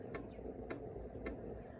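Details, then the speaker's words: BougeRV 5 kW diesel heater starting up while the glow plugs warm: soft, even clicks about twice a second over a low hum, the dosing pump ticking normally, expected to quiet once it fills and runs. "Supposedly this one, that tick is going to go away once it gets full and starts running."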